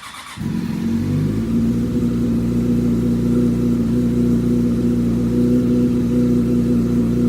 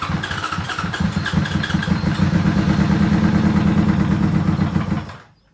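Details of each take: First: 2005 Yamaha R6 (YZF600) project bike: it catches and holds a smooth, even high-revving hum with no knock. It sounded terrible minutes earlier, and the owner wonders if something is loose; it is still blowing oil smoke. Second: 2005 Yamaha R6 (YZF600) project bike, tank removed, carb cleaner sprayed into airbox: fires and revs roughly about five seconds then dies; fuel pump not delivering, with tank fuel connections disconnected and a broken tank fitting found.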